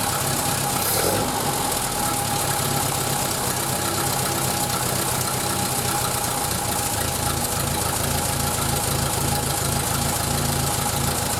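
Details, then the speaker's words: 1931 British Dodge Brothers UF-10 van, idling at low speed without stalling: steady run with a loose, uneven puffing tick. Exhaust manifold leak. "Definitely exhaust inlet, or the exhaust manifold is definitely leaking, so I need to have a look at that."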